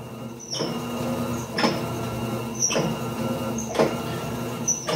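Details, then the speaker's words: Electrolux LPR17 washer agitator reverses about once a second, each stroke ending in a sharp clunk and scrape; a new belt didn't help, pointing to a worn agitation transmission mechanism. "Olá pessoal o barulho já tá apresentando esse barulho"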